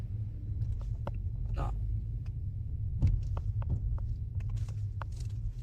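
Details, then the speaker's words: Audi S with a cold-start engine noise and braking noise; clunk over uneven road with no braking, dull knocks from front-right (passenger side) suspension; arms and links all previously replaced, a rubber-bushed link arm judged the likely cause. "这个不平路面的时候没踩刹车，那个声音也有。那这个声音呢，肯定是在我们底盘上面了啊。"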